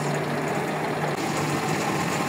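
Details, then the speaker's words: Vehicle idling cold on a cold, humid day after cable splice repair and charged battery, lights on: low steady even hum, not high revving, no knocks or misfires; normal cold idle, charging above 13 V. "Ahí como vemos está fría, o sea, no se escucha tan revolucionada."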